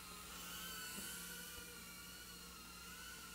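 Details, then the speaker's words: URUAV UR65 micro brushless drone, armed in stabilized mode with motor stop on, hovering indoors; a thin, high-pitched motor whine holds steady, drifting slightly with throttle, with no grinding. Normal running. "it's armed and it does have motor stop on so the motors aren't gonna turn till I get some throttle there we go and she's up"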